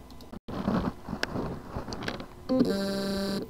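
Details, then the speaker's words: WD Scorpio Blue 2.5-inch SATA hard drive (PCB 2060-77185): faint scratchy whir with light ticks, then a steady low buzz as the spindle motor spins but cannot reach full speed; cause loose motor contacts, fix resolder/replace contacts or PCB. "Symptom: the motor can spin but cannot reach its full speed. Cause: lose motor contacts. Solution: resolder, replace the loose contacts or replace the PCB. Here is the sound from the loose motor contacts problem hard drive."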